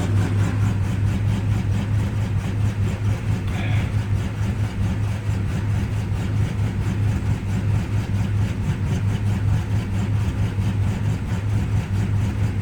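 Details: 53-year-old Plymouth Slant Six cold at about 12°F: low, lumpy, irregular idle pulsing about ninety a minute. The cheap aftermarket choke unit hangs up and keeps the choke closed, so it runs rich.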